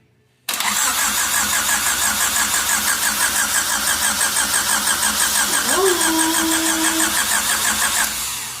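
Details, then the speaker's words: Fuel-injected Honda EF: steady, brisk starter cranking for about seven seconds that never catches or fires; cranks but no start, cause not yet known. "it turns over okay all right keep going again fuel it's still getting fuel I'm not too sure because it's feel injected"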